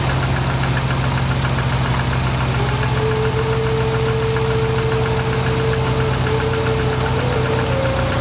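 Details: Subaru Forester engine at idle with a fast, light tapping running through it and a faint whistle rising midway; engine knocking at idle, cause unclear.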